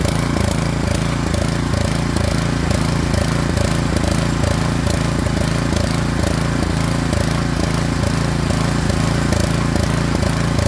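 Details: Craftsman snowblower model 247.889571 with a 179cc engine, after the throttle slide was adjusted to raise RPM: a loud, steady small-engine drone at even speed with a regular low throb; normal running.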